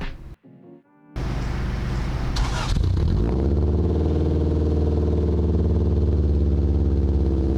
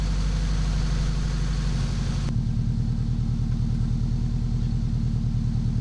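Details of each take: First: Honda Integra (front-wheel drive): after start, loud, deep, blatting open-header-like rumble at idle from a large hole in the bottom of the exhaust flex pipe near the header; exhaust leak at flex pipe, before the pipe was replaced. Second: Integra at idle after a large exhaust leak was welded up and the exhaust refitted, with the front pipe to the header re-cut and re-welded. Steady, even low rumble that settles lower, with no ticking or puffing; the exhaust sounds sealed.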